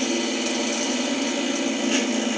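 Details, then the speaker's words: Old, unbranded hand-cranked vintage cream separator (handle stamped for cranking speed) coasting after cranking stops. Steady, even whine from the internal gears with no knocking; the owner thinks the gears probably need machine oil. "so the gear is inside sounds like it probably needs um some machine oil but you can see it keeps going anyways"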